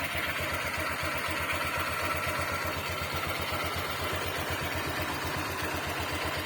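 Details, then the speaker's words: Honda Click 125i FI V3 scooter at very low idle: lumpy idle with a light, even tapping about four times a second from the CVT belt. This belt tapping is normal at such a low idle. "So Gan talaga mga bro medyo meron talaga siyang ah makalas sa loob n makina dito lalo dito sa may cbt Ayan so Ayan Gan siya mga bro so sobrang Menor kasi sobrang baba pumipitik yung belt so Normal lang y mga bro"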